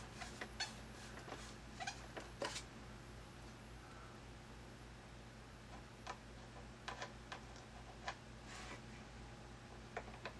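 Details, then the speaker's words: Thrustmaster rudder pedals: irregular short squeaks and clicks as the pedal is pressed, because the pedal's left-right play lets it rub the plastic housing; pushing it away stops the noise, and lubrication helps only temporarily. "all right so I seem to found the problem the pedal can move a certain amount left and right and where intersects with this and this my gets rubbed up next - it seems like noise yeah push it away gets rid of it"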